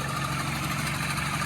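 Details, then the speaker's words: 2012 Mini Cooper Countryman idling loud and raspy with a low drone and hissy rush from a cracked, sooty exhaust flex pipe; noise also comes from the water pump pulley friction drive at the engine front. "Customer's complaint is the car is very noisy. You can hear a couple things going on here. The exhaust flex pipe is broken."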